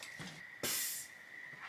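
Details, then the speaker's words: GU Patrol with newly installed ARB air locker and braced diff, tested on air compressor with hub spun by hand: one short sharp hiss as the locker disengages, then quiet; normal air locker release. "goes off you can hear it hear it and then he'll spin this side and that side does not move"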